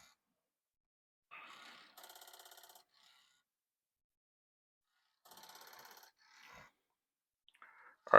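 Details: Commodore 1541 disk drive whose disk won't spin, after cleaning, with disk inserted and run typed: two short bursts of rapid evenly spaced clicking with quiet gaps; head mechanism chatter, disk not read; board or drive fault unknown.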